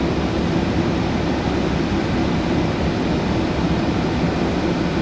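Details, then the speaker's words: VW T5 Transporter heater blower after repair of a fault that made speed four fluctuate and blow the fuse; at speed four flat out, a steady, even rush of air without surging, rattling or dropouts; normal blower fan at full speed. "now it works on speed two that's on four flat out"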